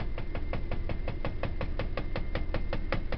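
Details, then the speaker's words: 1984 Dodge van cold start: sharp regular knocking about three times a second at idle, like knocking on a door, source not pinned down; oil gauge was sticking, oil pressure building. "sounds like I'm knocking on the door of somebody's house."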